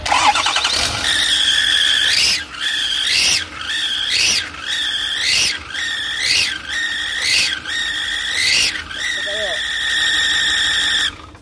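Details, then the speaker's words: 2008 Ford F-550 with 6.4 diesel, turbos newly replaced: a high piercing whistle-squeal over the engine surging and falling in repeated pulses, an exhaust leak from a broken exhaust bolt. "That's gonna be a broken exhaust bolt, and we're gonna fix that, and then we're gonna come back when it's fixed."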